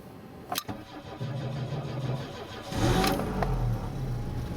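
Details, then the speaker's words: Finnish-built automatic Saab 900 started after sitting unused a while; brief quiet cranking, then catches and settles to idle; battery was quite low but it started; hard start after sitting. "the battery was quite low apparently but it started anyway that's good that's good"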